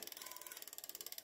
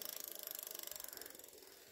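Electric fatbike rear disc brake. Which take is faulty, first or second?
first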